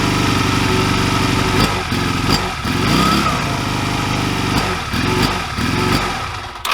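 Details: 2002 Honda Rebel 250 (CMX250C) single, 1,888 miles, 20 years barely ridden, started on a jumper pack before carburetor removal; idle stumbles and surges with uneven firing, dips and catches, attributed to a gummed-up carburetor needing cleaning.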